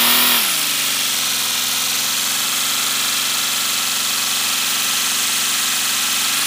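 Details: First-build 3D-printed PLA V12 model engine on compressed air, freshly lubricated, no exhaust port yet: fast, even pulsing over a steady airy hiss once pressure builds, spinning smoothly with no knocks.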